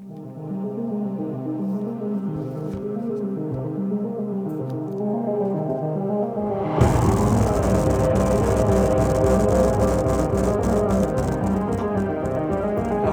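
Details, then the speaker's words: Bang & Olufsen Beoplay A1 speaker playing music with a flapping, rattling "farting" buzz on bass notes, caused by air escaping through a cracked plastic chassis, likely also cracked around the screw holes. "I can clearly hear that it's broken yeah and the reason behind it is that the plastic plastic chassis it has it cracks"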